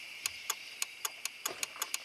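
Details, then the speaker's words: 2012 Nissan Titan, over 200k miles, no-start with ECM offline (ECM and IPDM already replaced): sharp crisp relay clicks each time ECM control pin 111 is grounded. The ECM relay pulls in normally. "okay so I can if I ground that it turns the ECM relay on"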